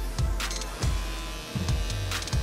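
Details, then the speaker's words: Dragonhawk Extreme linear-drive rotary tattoo machine, 3.5 mm fixed stroke, with grip, tip and needle attached. Steady buzzing hum with a low, even pulse and no knocks or rattles; running smoothly. "here's the machine with a grip a tip and the needle attached to it this is what it sounds like"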